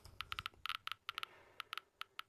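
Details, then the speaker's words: DP-5V military radiation dosimeter switched to control mode K with the check source over the window: sharp irregular clicks, about six per second, over a near-silent background; the crackling indicates elevated radiation and confirms the counter works. "This is the sound of an already increased radioactive background. When this device makes such a crackling sound, it means that it is dangerous to be here."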